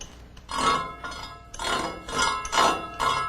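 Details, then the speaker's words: Radial arm saw heel setup: marked tooth brushing the jig makes light glassy ticks equally loud on both sides of the carriage travel, meaning zero blade heel. "that's what you want to hear the same sound on both sides means zero heel"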